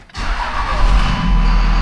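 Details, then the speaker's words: Last start of the Cummins diesel in the Dodge donor before its swap into a VW bus: a quick crank, then it catches at once and settles into a steady, even clatter. It starts cleanly and normally. "Man, it runs good."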